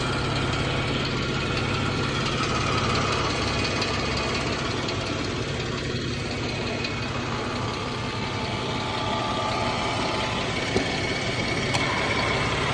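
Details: 2014 Jeep Wrangler 3.6 Pentastar at idle: faint, quick ticking over the engine hum; owner unsure whether rocker arm or valve tick, source not confirmed.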